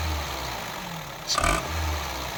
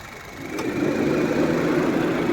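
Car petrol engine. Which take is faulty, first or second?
first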